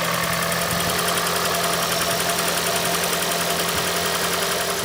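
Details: 2012 Toyota Prius 2ZR-XFE petrol engine idling during oil pressure test for an engine knock problem; steady hum with fine rapid ticking running through it.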